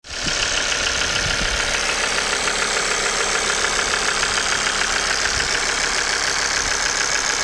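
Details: Engine idling with a sharp fast ticking knock over a steady idle, loudest in the high end; caused by failing injectors and oil pump, noise gone after replacing both, though diagnostic scan showed nothing.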